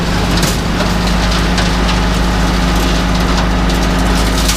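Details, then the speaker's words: International Harvester IH 51 forage wagon unloading silage after a front axle repair: steady machinery drone with irregular splintering crunches as leftover ears of corn at one end get crushed in the beaters. "Ah, haha, that's what that noise is. There's ears of corn still in here down at that one end. That's that noise."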